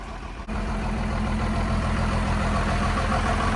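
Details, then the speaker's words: First-gen Dodge Ram D250 5.9L 12-valve Cummins pulled from salvage yard, after swapping lift pump and priming: one short knock, then even, steady diesel clatter at constant speed, no misses; healthy idle. "That is awesome. [Applause] Sounds good."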